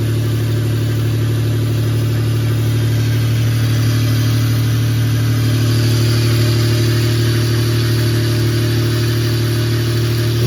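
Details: 1996 Toyota 4Runner 3.4 5VZ-FE after head gasket and cylinder head replacement, in snow: first cold start, strong even hum settling into steady idle with a few clean throttle blips, no knocks; normal cold start.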